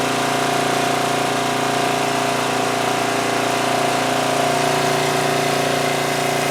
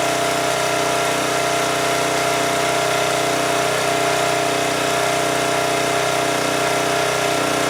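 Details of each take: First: 2002 Coleman Powermate 5500 generator after carburetor cleaning and motor mount repair, engine speed backed off because output was 135 V, now about 120–121 V: steady drone with constant pitch and no surging. Normal running after speed adjustment. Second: 2002 Coleman Powermate 5500 generator after carburetor cleaning, running at full speed. A high, steady drone with no hunting, revving faster than it should while putting out 135 V. Engine overspeed from the governor spring set too tight; the adjusting nut looks non-original.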